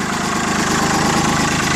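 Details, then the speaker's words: Mitsubishi MT205 compact tractor, 3-cylinder diesel, about 800 hours, new battery: steady, even idle with a regular low thrum, no misses, knocks or rattles; sounds really good, no exhaust smoke; normal diesel idle. "Again, 3-cylinder diesel. Let's go ahead and fire it up here. Here it sounds really good."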